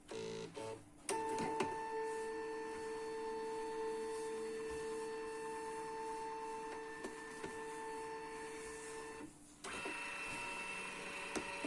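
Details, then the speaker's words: Canon MF3010 scanner after reseating the flex cables that caused error E301, test scan before reassembly: steady clean motor whir as the scan head travels smoothly, brief pause, even return; scanner working normally without problems. "Առանց խնդրի սկաները նորմալ աշխատում է, ենք հավաքել հետո։"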